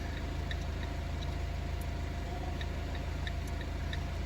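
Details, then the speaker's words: Fiat Punto with no indicators, blower or radio: faint uneven flasher relay ticks come and go over idle as the indicator stalk is jiggled, blamed on the faulty stalk, treated as a separate problem. "mess around with it it does kind of work so with that now I am blaming the actual stock for the indicator is not working"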